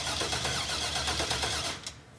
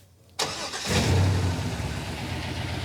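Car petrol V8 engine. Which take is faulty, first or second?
second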